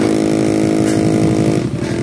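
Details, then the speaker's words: Electric massager: harsh buzzing motor hum with an uneven chattering rattle because the motor is loose in its mount; fixed by shimming it with thin plastic. "So ito guys oh meron ding ingay yan oh dinig niyo nakakairita 'yan sa pasyente. So ganun din ang problema yan"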